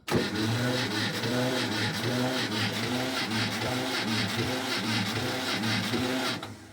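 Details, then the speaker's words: Kubota L210 tractor: slow, laboured cranking at about two compression pulses a second for six seconds without firing, caused by a failing starter that is due for replacement with a new one. "really not doing too well. So what we're going to do is replace the starter with a new one."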